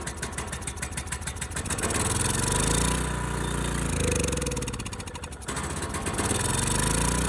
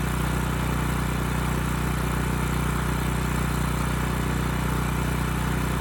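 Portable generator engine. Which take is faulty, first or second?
first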